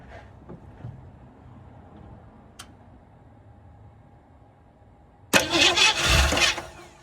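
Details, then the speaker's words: 1967 Ford Mustang (302 V8, factory 289 car) stored since 2008; spark confirmed, fuel poured in: a few ticks, then it fires for about 1.5 seconds and dies. Fuel pump still not delivering, running only on poured fuel. "Fired. It fired. Let's go. That's awesome. Still not pumping any fuel."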